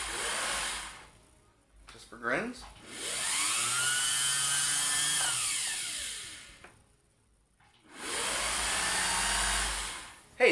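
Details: Vintage Singer 401a slant-shank sewing machine, run by pedal after cleaning out lint, oiling and greasing the gears: smooth motor whir rising and falling evenly with the pedal, no knocks or grinding, so it runs cleanly.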